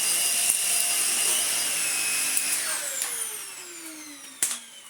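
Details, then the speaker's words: Dyson DC50 Mark 1 small ball vacuum after new motor fitted: clean high motor whine holding steady then spinning down smoothly, earlier squeak cured; normal running. "Yeah! It's still flimsy, it's still a bit meh, but it is working."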